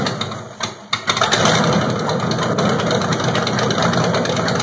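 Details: LT1 V8 with water pump off, running on cold fuel vapors on Delteq distributorless ignition instead of the Optispark: a brief crank, catches within a second and settles into a steady, even idle with no misses or knocks.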